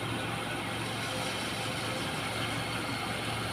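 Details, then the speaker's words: Used standard Suzuki Katana inspected before purchase, engine idling during coolant check: even, steady idle with a smooth settled hum, no knocks, ticks or hunting; described as a healthy, stable engine. "Kita dengerin aja ya tem-teman untuk mesin yang sehat yang stabil yang Insyaallah ti"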